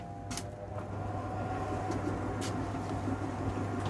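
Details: Beko heat pump tumble dryer: drum motor only hums and won't self-start, then spins slowly with faint rubbing after a manual shove; capacitor suggested by viewers but cause unconfirmed.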